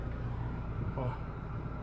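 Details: 2011 Hyundai Tucson 2.0 after rear brake rebuild with all-new parts (previously scraping from rear when braking, moving or stopped): steady low idle held on the brake, no squeal, scrape or clunk; brakes now quiet.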